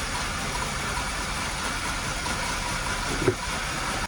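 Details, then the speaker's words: 2002 Hyundai Accent 1.5 L petrol at idle with P0300, P0444, P0135, P0130 codes: uneven lumpy beat like an old diesel tractor, misfiring across cylinders. "Really, it is running like a garbage. Actually, it is running like an old diesel tractor engine."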